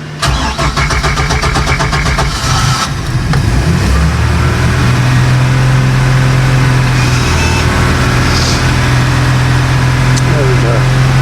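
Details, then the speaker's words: Bayliner cabin cruiser MerCruiser engine, unrun for months and needing warm-up: after a stall, rapid even cranking for a few seconds catches and settles into a steady rough idle. A slow, reluctant restart; cause suspected, not confirmed. "engine really needs warming up so uh start it up again get it up to temperature give it a good run it hasn't had a run for a good few months"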